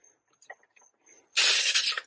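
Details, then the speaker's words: DIY car A/C recharge: sharp, high half-second hiss as the gauge hose is quickly disconnected without the valve fully closed, losing a little refrigerant; normal, nothing wrong. "So I know I'm going to lose a little bit of refrigerant in this process. And so forgive me, it's just a little bit."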